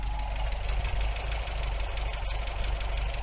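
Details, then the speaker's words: 1980 MGB after breakdown, fitted with a coil from another MG giving better spark, radiator fan off: low, fairly even idle rumble, no misses or surging; normal idle, problems likely ignition-related. "I mean have a listen to it I mean that doesn't strike me as a particularly unhappy engine so maybe most of the problems were actually with the uh with the ignition system"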